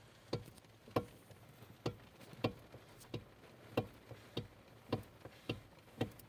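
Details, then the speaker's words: Renault Megane 2: sharp clunks nearly twice a second as the steering wheel is rocked through a small arc in either direction; a steering knock that the owner suspects comes from the electric power steering or the steering shaft, not confirmed. "нет Вот такой вот звук при вот такой вот амплитуде руля и в любой сторону сейчас тоже есть"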